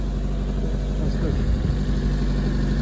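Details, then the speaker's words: All-original Hyundai Excel, 67,000 km, small four-cylinder after driving at 100 with no smoke: steady idle a touch fast for a warm engine; owner wonders if it is still running on the choke, unconfirmed. "Has it got the choke? Is there a choke in there, a manual choke or not? I wonder if it's running on the choke still."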